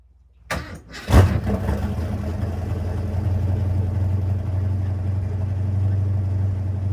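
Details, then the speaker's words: Ford Mustang V8 with new custom flow tubes, tailpipes and mufflers, started and idling at 900 rpm; deep even lumpy idle, no exhaust leaks, slight ticking from inside the chambered mufflers; normal idle. "Wow, I like it. That's a 900 RPM idle right there. Sounds pretty good."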